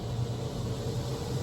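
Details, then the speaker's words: Newly installed replacement 4-speed roof vent fan in solar-powered DIY camper van at full speed: even, low airy hum holding constant, no wobble, ticking or scraping; normal fan running. "I'll turn it up. You can hear it a bit now. There you go. That's full speed."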